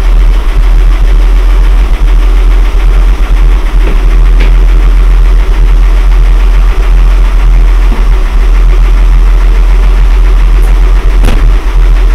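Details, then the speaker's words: Mercedes W126 back on the road: deep heavy exhaust rumble at idle heard in the cabin, muffler booming and still needing work. "отихоньку глушак конечно бухтит ну приятно в салоне"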